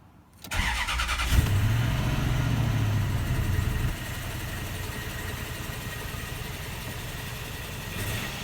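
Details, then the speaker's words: 2004 Toyota Tundra V8, just after new spark plugs, injectors and ignition coils: catches after brief crank, fast cold idle with uneven lumpy beat; oil pressure present; rough running, owner suspects transmission or engine mount for vibration. "Sounds a little skippity doo dah. Got oil pressure. Still idling high at the moment until it gets warmed up a little."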